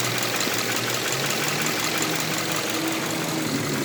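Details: Subaru Impreza FB20 petrol engine idling with a light, fairly steady clicking over a busy running sound, seeming to come from around the pistons on each side; owner asks whether valve adjustment could be the cause, unconfirmed.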